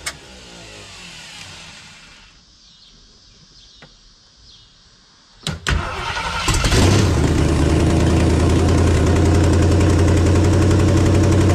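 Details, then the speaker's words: 1976 AMC Gremlin, AMC 360 (5.9L) V8, after setting the timing from about 25–30° to about 12° BTDC. It cranks, catches and settles into a firm, steady idle at about four beats a second. Normal, healthy idle. "all right it sounds way better it was really Advanced that's probably close to like 25 30 or something like that it's about 12 now so so that fixed a lot of that that that's idle like a lot better now"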